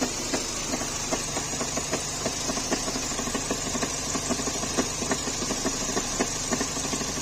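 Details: Renault K4M engine at steady idle with a light, fairly regular tapping knock about three per second; abnormal internal knock, cause not clear.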